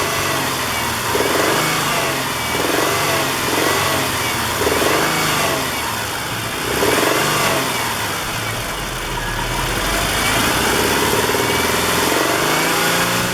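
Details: Warm petrol engine just above idle under light load with an uneven knocking/popping about three or four a second, rising with engine speed. Plugs, wires, coil pack and timing belt were already replaced; owner hopes it is not rod knock; cause not found.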